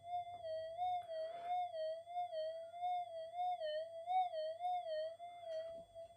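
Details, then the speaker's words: Brand-new Minelab GPX 5000 with a redesigned input stage, at the same gain and settings as the factory unit: a clean, steady threshold with only a gentle slow waver and no crackle or pops. It is quiet and well-behaved. "this one's very very well behaved very well behaved I'm quite impressed"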